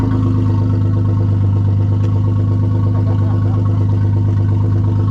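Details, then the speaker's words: Maserati under accident repair, exhaust removed from the resonators back: deep, loud, raspy drone with steady throb and no muffling; loud exhaust with rear section removed. "So that's what it sounds like with just the resonators. Everything else from the resonator back is gone."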